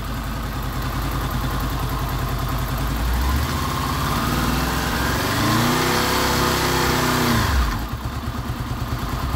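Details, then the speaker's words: Honda VFR800 VTEC V4, 58,200 mileage, after cam chain replacement, coolant at 94 °C: smooth idle swells into a clean, even rev rise and drops back with no knocking or rattling; normal revving. "до 94 градусов сейчас мы попробуем немножечко поднять обороты"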